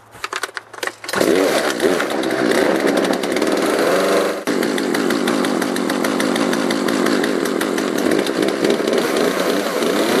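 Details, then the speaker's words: Poulan 3818 38cc chainsaw with an 18-inch bar that starts right away on full choke: a buzzing run that climbs, then sags abruptly at top end. Bogging at high revs, to be fixed by carburetor mixture adjustment. "you'll notice that it's not an issue starting the saw if I put the choke full it starts right away the problem with this saw is that top end"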